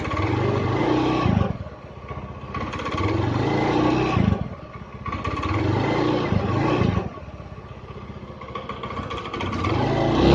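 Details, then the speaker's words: Honda Beat scooter after full engine teardown and rebuild (was rough-sounding, hard starting, using oil) runs steadily with smooth throttle blips, no misses or knocks; response slightly sluggish, owner suspects a dirty fuel pump. "Nah, oke teman-teman ya, tadi udah hidup normal ya."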